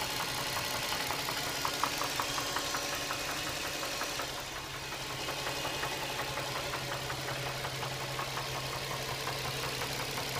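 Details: Nissan 350Z V6 idling with a light, fairly regular tick about three per second over a steady hum, seemingly from the back of the engine near the firewall; oil level checked fine, source not pinned down.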